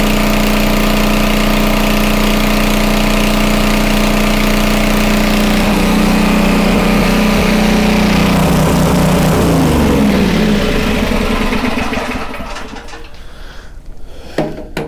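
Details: Homelite 2500 W flathead generator after repair of a stuck valve: steady drone at an even pitch for about ten seconds, governor holding about 60 Hz (59.9), then winding down to a stop. Normal running.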